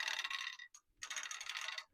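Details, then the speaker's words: Handi Quilter longarm frame, standard view, loading backing fabric: quick, light metallic clicks in two bursts from the ratchet as the bar is wound with an added hand wheel; the clicking shows it is turning the correct direction, normal. "Can you hear that clicking noise from the ratchet? That's your sign that you've got it going the correct direction."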